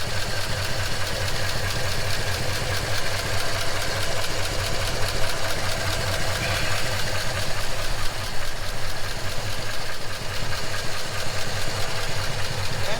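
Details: 1939 Ford Deluxe flathead V8, revived after years sitting, fuel stabilizer used; low even rumble at steady idle, no misses or knocks, temperature about 160, not overheating; running healthy.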